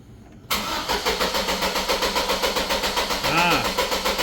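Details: Chevrolet Colorado with excessive crank after sitting, fuel pressure gauge fitted: starter turns evenly at about four beats a second without catching; fuel pressure was suspected, and the test showed it is not the cause, with the crank sensor still suspected.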